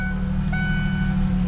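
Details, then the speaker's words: 2002 Ford Ranger V6 after replacing coil pack, spark plugs and wires (firing order 1-2-3-5-6-4): steady, even idle hum with no stumble; earlier misfire shake is gone, check engine light was from the misfire. "that shake is gone we are not misfiring anymore which is great those plugs are doing awesome hear how smooth she's purring now"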